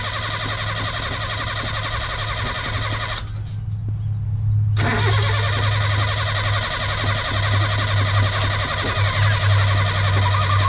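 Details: 1972 Datsun 1200 coupe started after long sitting and suspected of rod knock: rough start settling into an uneven idle with a constant thin chatter over it; the fan belt was very loose and was then tightened.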